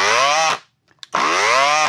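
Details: Peugeot Energyhub 18VBL cordless brushless angle grinder, no gear play and extra grease added: two harsh high whining bursts climbing on spin-up and sagging on shutdown; still abnormal, cause not yet found.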